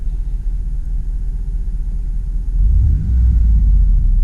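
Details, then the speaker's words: 2004 Dodge Dakota SLT Club Cab, 4.7L V8, 117k miles: warm idle after driving with a couple of revs; low, even rumble, revs climb and settle cleanly, gauges normal; healthy idle. "of revs as you can see everything is in good position there"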